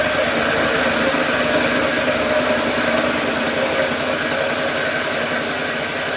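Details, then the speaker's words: 1954 Lawn-Boy RPM 8FH13LB two-stroke mower, dormant 50 years, first start after ultrasonic carb cleaning: fast buzzy note pinned at high revs, never settling; too much air getting through the loose carb throttle, choke does nothing, no throttle control. "So I need to mess with the carb and see if I can do something different there cuz it just kind of runs away and even putting the choke on doesn't do anything. So that means that there's too much air getting through"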